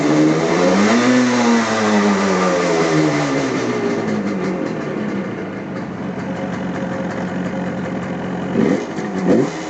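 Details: 1975 Yamaha RD350 two-stroke twin, original miles, after points-to-HEI ignition upgrade and sticking throttle cable fix: revs and drops back cleanly, crisp ringing exhaust, no misfire or stumble; running healthy.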